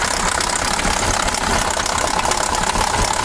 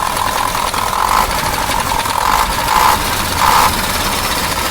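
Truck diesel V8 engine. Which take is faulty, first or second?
first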